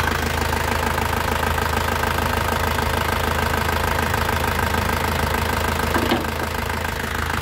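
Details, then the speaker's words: Isuzu Panther LV 2.5 diesel, first-generation capsule body, heard from the engine bay: steady, even idle with light normal clatter, no knocks or misses, and revving still sounds very smooth; healthy idle. "Nah untuk bagian mesinnya seperti ini teman-teman suaranya kempel ya Nih kita gas suaranya masih halus banget"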